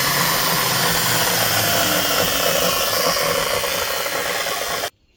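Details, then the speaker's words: DeWalt chop saw that was bogging down (owner suspected brushes), after repair with the loud sound gone: the brushed motor spins up faster to a steady high-pitched whine and runs evenly until switched off; normal motor run. "Looks a little better. Sounds like it's revving up faster. I don't know about any higher, but faster."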